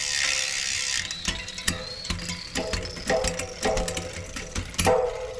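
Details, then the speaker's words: Shimano 11-speed rear derailleur just replaced with a new hanger and shifter cable, shifting through nine gears. Crisp shift clicks, then a rough grind on the big cogs: the B-limit screw leaves the guide pulley too close, and about 5–6 mm is needed. "That grinding, that's our B limit screw. So we gotta adjust our B limit."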